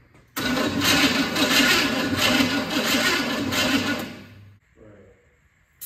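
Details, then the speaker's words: Forgotten Chevy C10 truck, first start in over a decade, cranking: steady rhythmic cranking about four seconds, no firing; no fuel reaching carburetor after two fires. "so after after two fires and a fire extinguish and a fire extinguisher we are not getting fuel up to the carburetor yet"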